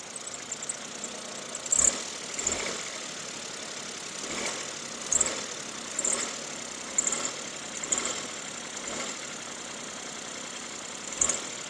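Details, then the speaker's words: Suzuki Stingray, mic at the engine, idling and in D with headlights and AC on: short, high cricket-like chirps every second or two, mistaken by the owner for brake pads; accessory belt slipping on a worn alternator pulley. "É só de eu ligar ela, pôr no D e no caso acelerar com os faróis ligados e o ar-condicionado, ela já está patinando. Ela já fez aquele barulhinho, aquele gritinho"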